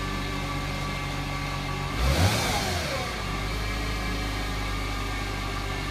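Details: 2008 Mercedes-Benz C300 V6, stock exhaust, cold start and revving: a loud whine rises and falls in pitch with throttle blips over idle. A failing alternator was the cause; replacing the alternator removed the noise.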